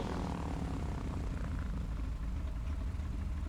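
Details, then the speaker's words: Twin-engine plane after shop work, which earlier lost its right engine on landing, pre-takeoff check with power pulled to idle: both engines hold a low steady idle, even drone, within 70 RPM of each other, no cutting out; normal idle. "So, let's pull that power to idle and make sure that both engines continue to run."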